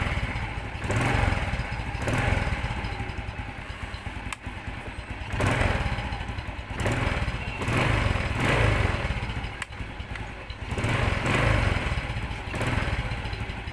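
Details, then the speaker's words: Small single-cylinder Bonus Sport SR motorcycle, stored about a year, idling steadily with gentle throttle blips; the earlier knocking at the magneto side is gone, sounds healthy. "Okay mga boss ig na yung andar niya wala na yung kumakatok dito sa may Magneto na siya ngayon karas na lang natin okay na to"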